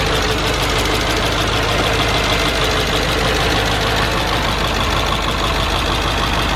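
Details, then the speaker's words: Supercharged Mercedes-Benz E55 AMG bought at salvage auction, first start on a possibly weak battery after new oil cooler install: loud, uneven, irregular pulsing over a constant roar, oil-level warning lit. Rough running, not apparently catastrophic. "start didn't sound the smoothest but it didn't sound like there's anything catastrophic ly wrong"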